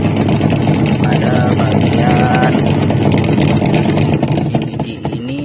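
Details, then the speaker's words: Polytron two-tub washing machine whose pulsator won't spin, spin dryer motor still fine: rough, gravelly grinding runs under the wash motor while the pulsator stays still. "and here The sound is noisy and rough, you can pay attention, friends"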